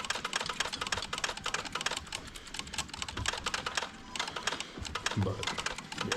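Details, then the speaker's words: Dodge Ram 2500 Hemi with the TIPM fuse box wiggled while running: rapid, uneven bursts of sharp relay clicking with no pattern, while the dash lights up and flashes security warnings. The corroded TIPM plug is suspected. TIPM relays clicking erratically. "you can hear stuff clicking when I'm wiggling this around listen to that what do you think guys is that our issue thing's going haywire now"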